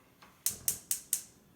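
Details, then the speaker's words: Stovetop gas cooktop burner, dial turned to light: four sharp, evenly spaced ticks about a quarter second apart, the spark igniter clicking to start the flame; normal ignition before turning the dial down to the desired heat. "once you hear that clicking sound that's the ignition starting the flame once you hear that then you can turn it down to the dial where you want your heat"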